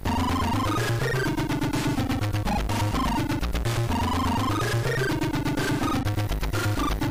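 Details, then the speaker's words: Sinclair ZX Spectrum +3, before fix, playing AY-chip music: busy tune sounding harsh and crunchy, loud notes breaking up; +3 sound amplifier circuit clipping the output, unlike the clean +2. "Yeah, that doesn't sound too good either."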